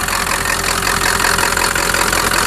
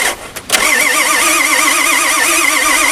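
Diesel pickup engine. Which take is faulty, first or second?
second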